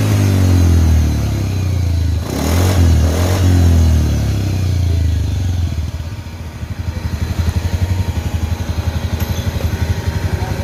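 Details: Honda Beat FI scooter after CVT repair (crankshaft seal, bearing, shaft, pulley, engine and gear oil replaced; CVT unopened 4 years); revs then drops to smooth even idle, no whine or hiss, noise gone.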